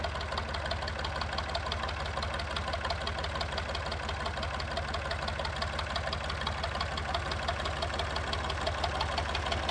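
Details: Massey 2500 forklift with a Perkins AD3 152 diesel, sat for years, suspected fuel issue, now restarted. Loud, even diesel clatter at a steady idle with no muffler, a regular rhythm and no stumbling or misfire; it runs properly.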